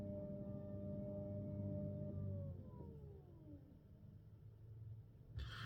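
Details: Tesla Model 3 parked: a steady electric whine over a low hum from the HVAC coolant system, pitch sliding down as it winds off; the pump is churning air in the coolant loop, and a service-mode reset is the suggested fix.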